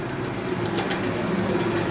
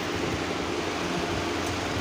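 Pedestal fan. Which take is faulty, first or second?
first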